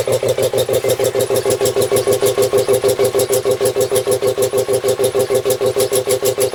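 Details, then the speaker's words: Home-built air compressor, 125 psi max tank, used for a year; even, fast pumping thumps about three per second with steady mid-pitched hum while filling tank; running smoothly and healthy. "i've used this compressor quite a bit throughout the last year it works really well"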